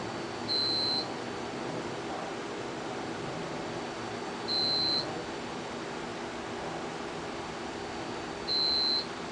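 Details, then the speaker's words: UPS units beeping about every four seconds over room hum during a generator transfer switch test. The generator engine did not run, so the transfer failed and the UPS units fell to battery. UPS on-battery alarm. "here's are the UPS's down here they're beeping they should be running on battery backup something is wrong I don't know what we'll see once"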